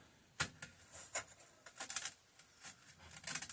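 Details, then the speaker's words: McCulloch 1-52 chainsaw, bought for $5, assessed on the bench: chain pulled by hand around the bar gives irregular dry crunches and clicks, a rusty, seized chain grating on the bar; bar and chain may not be salvageable. "can you hear that a nice crunch I don't know if I can save this bar in chain"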